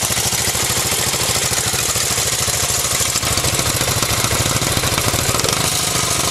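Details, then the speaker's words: Honda ATC 200X three-wheeler, noticeably louder than the Z50R mini bike: quick, even put-put idle with steady firing pulses under some hiss; the single is running fine. "Compared to the mini bike over there, this one's pretty loud."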